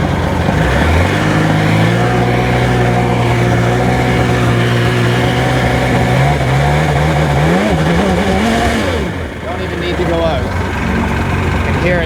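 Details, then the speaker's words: 2002 Sea-Doo GTX DI two-stroke, maintenance light above about 3000 rpm despite new stator, crank sensor, plugs: revs with uneven stumbling beat, pulses dropping out; misfire, cause unknown, owner suspects bottom-end bearing failure. "skipping. Oh boy. I don't know about this one."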